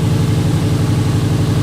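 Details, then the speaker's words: Fully built Subaru EJ25 flat-four idling while warming up after reinstall; engine pulled over suspected bent valves. Even rhythmic burble, no valvetrain clicking or tapping, settles cleanly; owner hears no bent valves, sounds relatively good. "I don't hear any bent valves. Everything sounds relatively good."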